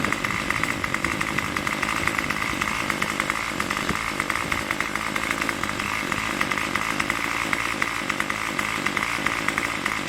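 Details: Craftsman Weedwacker trimmer 316.791191, MTD 27cc two-stroke shortblock, Zama C1U-P27 carb, after rebuild: buzzy two-stroke running fast and steady around 2600–2700 rpm, no stumbles or surging, running without choke; normal running.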